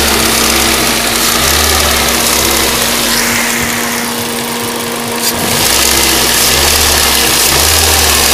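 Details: Ford Duratec HE 1.8 engine at steady idle with a fast light ticking clatter, about three or four a second; owner asks what it could be, tick or knock of unclear cause.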